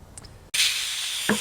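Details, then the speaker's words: 2003 Harley-Davidson Anniversary VROD, front Hayes brake caliper rebuild. After a click, a sharp steady hiss of air escapes as two frozen caliper pistons pop out while one stays stuck. "Now, you hear that hiss noise. That shows me 2 of them have popped out and 1 hasn't."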